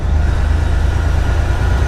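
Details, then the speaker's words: Heavy truck with Detroit diesel, motor rebuilt about 15 weeks earlier, hesitating on throttle: deep rumble with uneven, lumpy beat as if one cylinder is weak; driver suspects a failing injector, not confirmed. "kind of sounds like I'm losing a injector here on my truck I got a hesitation ever we get on the whenever I get on the throttle"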